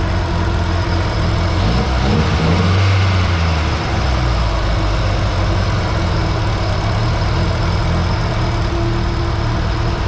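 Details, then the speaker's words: Nissan 240SX with CA18DET after a head rebuild, running extremely lean: loud, hunting idle with a pronounced tick. Owner unsure whether it is the injectors or head chatter. "now i'm pretty sure the only noises i hear is like the injectors um i hope that's the injectors or it's the head chattering i'm not sure but it's pretty loud"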